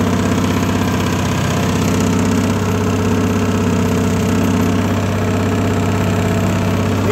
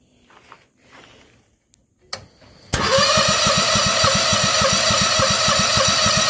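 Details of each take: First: Harbor Freight Predator 670 22 hp V-twin swapped into a Bobcat skid steer in place of its roughly 32 hp diesel, first test run with old exhaust smoking: even idle thump with hydraulic whine, no misses or knocks; engine running fine. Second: Bobcat skid steer swapped to Harbor Freight Predator 670 22 hp engine (originally diesel); after weak pulls catches into even fast putter about 200 beats a minute; hard starting, owner suspects fuel line, considering carburetor replacement.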